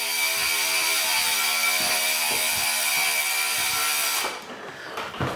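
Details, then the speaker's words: Giant Liv Avail Pro 0 Di2 synchronized shifting after adjustment: steady freewheel ticking and chain whir, then a crisp clunk onto the big ring as the rear automatically drops three gears with quick clicks; working properly. "And did you notice it jumped down on the one at the back? If I do it again, there you go. It's dropped down three. So, that's working."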